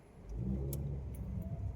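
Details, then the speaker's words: Suzuki Ertiga Hybrid test drive after replacing worn engine mounts with SGP rear support (owner suspected front shock): clean, even engine note under acceleration, earlier floor noise and vibration gone; normal. "Okay, wala na. Wala nang ingay sa ilalim. Ito lahat yung engine supports."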